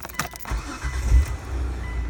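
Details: 2008 Hyundai Tucson with the engine already running. A brief starter whir and grind cuts in as if cranking again. Faulty ignition switch, fixed by replacing it.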